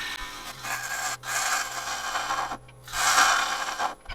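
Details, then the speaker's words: Woodturning a dry, highly figured English walnut closed-rim bowl on a lathe: loud, rough rasping bursts as the gouge is pushed through faster than it should, an aggressive cut for wall thickness rather than a finishing cut. "You can hear when I'm just kind of pushing through a little faster than I should. Not trying to get a super clean finishing cut. Just trying to get my wall thicknesses here."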